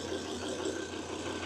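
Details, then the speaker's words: Volvo after misfire diagnosis, with new plugs and coils already fitted; the scanner blamed cylinder 5 but the oscilloscope found cylinder 3, with aftermarket coils in question: smooth, even idle hum with no stumble, misfire gone. "Miren, no más mis fire. Se fue el miss completamente. Es perfecto."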